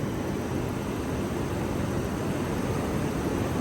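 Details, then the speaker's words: Thermal bimetallic fluid fan clutch on a car with orifice-tube AC, engaging: loud even rush of air, no knocks or squeals; fan clutch locked up, moving air normally. "so that's the fan engaging because of the fluid flow just like in a automatic transmission"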